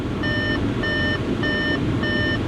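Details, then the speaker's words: Car at auction yard, just started with heater on: steady high chime pulsing about twice a second over a quiet running engine; door-open warning, stops once the door is closed; no engine noise. "I mean, other than this annoying beeping, which maybe close the door."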